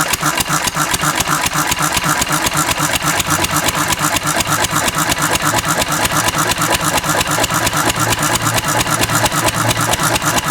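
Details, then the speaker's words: Antique Cushman Cub 4-stroke 3 hp throttle-governed stationary single running on about 90% Zippo lighter fluid: steady, even putt-putt at constant governed speed, no misses or surging; runs just fine, normal running. "That's as close to pure as she's going to get. It's probably 90% Zippo fluid. I'm going to flood it and see, but it runs just fine."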